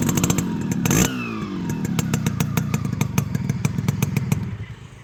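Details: Restored and serviced Yamaha RXZ two-stroke with a custom-made silencer: sharp rev burst, then a crisp, even popping exhaust beat as revs drop; clean, normal running.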